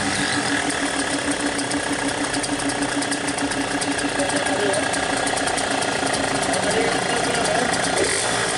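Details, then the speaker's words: Yamaha RX King two-stroke, stock 135, after repair (magneto rotor re-pressed, clutch plates and springs replaced): even, fast idle popping about three beats a second, no heavy knock, power back to normal. Normal idle. "Oke teman-teman, jadi motor Bang Lukman udah kelar dan alhamdulillah tenaganya juga udah kembali normal."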